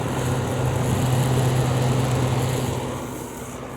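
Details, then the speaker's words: LG 6000 BTU window air conditioner running, recorded from outside facing the compressor: steady low compressor hum with a soft fan rush, even and unbroken before easing off, normal running. "There it is, up and running. That's really take a second to get out all the hot air."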